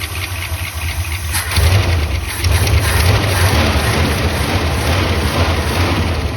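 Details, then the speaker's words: 1976 Ford F-250 V8, first run in 15 years with fuel fed to the carburetor: after it catches, a steady, even idle with no miss, running on all eight cylinders. "look at how smooth is running too I mean it's barely moving at all"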